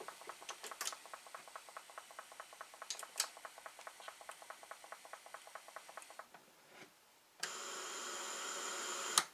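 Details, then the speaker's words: Atari 1050 floppy disk drive that arrived damaged in shipping: a fast steady ticking of about three clicks a second while the head pulls forward instead of back and never homes. Owner suspects a bad chip. "Something's wrong. This thing is pulling forward. It's not supposed to pull forward like that. Maybe it's a bad chip."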